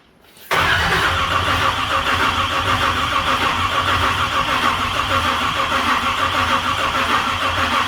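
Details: Big-block Chevy with a Dominator ECU and initial timing not yet set: the starter spins it over steadily for several seconds but it never fires or picks up speed. Fuel lines were later taken apart; cause unconfirmed. Crank no start.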